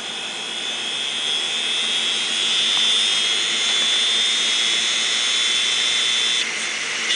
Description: 500gig Maxtor Hard Drive... Head crash, both sides, all platters.